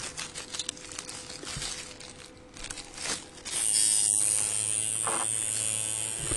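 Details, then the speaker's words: Coil tattoo liner machine on a switchable 10-turn potentiometer power supply set to liner: steady, even electric buzz starts partway through and holds without stutter, armature bar moving consistently; running smoothly. "and when given power, you can hear this running smoothly, and you can see that basically the armature bar where the needle attaches right here will move in a very steady and consistent way, showing you"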